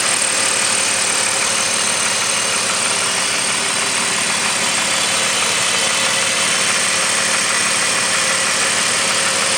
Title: 2002 BMW 5 Series 530i M54 Engine Knocking Noise